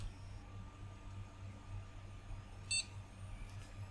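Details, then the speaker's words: Retro PC motherboard from car boot sale, powered on with sound card in first PCI slot: one short clean POST beep over low room hum, then BIOS appears; normal boot. "it bleeped Asis yeah there's the BIOS"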